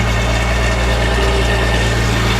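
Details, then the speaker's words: 1976 Datsun 280z 2+2 revived from a junkyard, with new exhaust fitted and 296 miles driven since, idling smoothly: even low drone with a steady pulse, no knocks or misses; healthy running engine. "But as far as that, you can hear how great it runs now."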